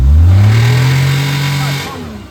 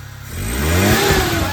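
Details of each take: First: Maruti Omni petrol engine revved after starting: a deep khat-khat knock underneath; the engine was opened and the connecting rod bearing found worn sharp, a connecting rod bearing knock. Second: Maruti Omni that knocked after starting, with the engine opened and repaired and the fuel system primed: it starts and revs cleanly, pitch climbing with no tapping or knock. Water comes from the silencer.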